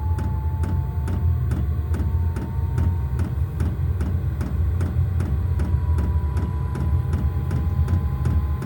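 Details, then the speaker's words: New diesel garage heater at first start-up: steady fan tone slowly climbing in pitch with even fuel-pump ticks about three a second, spinning up normally toward temperature. "There she goes. Listen. Getting up to speed."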